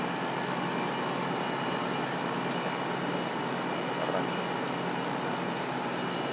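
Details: Samsung 12000 BTU air conditioner compressor running right after a hard start: continuous hissy hum with steady buzz and no speed change; it sounds abnormal but is cooling, cause unknown.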